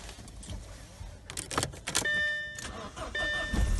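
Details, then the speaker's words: 2007 Audi A4 2.0T after replacing water-damaged relays under the ECM box to fix a no-crank, no-start: clicks, a chime, a short crank, then it catches at once into a low idle. Normal start. "you go no problem at all the car start it right away"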